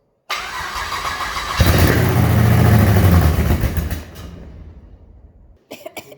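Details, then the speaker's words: 6L LS V8 (LS2 or L77) in Mini Mog, first-ever start via starter wire touched to battery: cranks briefly, catches instantly, settles into loud steady even idle through open headers, then shuts off; healthy. "So when I touch this to the battery, it starts. It lives."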